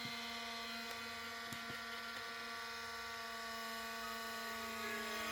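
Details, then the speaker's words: 2005-model IBM ThinkPad R52 laptop (Pentium M 1.86 GHz), found discarded and poorly maintained by its previous owner, on boot: loud, steady whirring cooling fan with a constant whine and no change in pitch. "펜 소이 엄청 심한 거 봐서는 전 주인이 제대로 관리를 하지 않았던 모양입니다"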